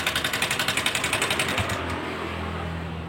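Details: Honda Scoopy (donut tyres, swapped to 14-inch rims) came in pushed and would barely start: a fast, harsh metallic valve-train clatter of about 3.7 per second over a rough idle. The front pulley and magnet were removed to trace the source.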